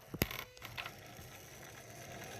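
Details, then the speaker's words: 2008 Yamaha VX1100 jet ski that won't stay idling and shuts itself off: with the engine off, irregular clicks, chatter and a short buzz like slipping gears as the throttle body plate twitches; owner suspects insufficient current reaching the throttle body. "You hear the throttle body making all sorts of random noises. It almost sounds like the gears are slipping, but in reality, the current must not be making it fully to the throttle body, and it's making it fidget."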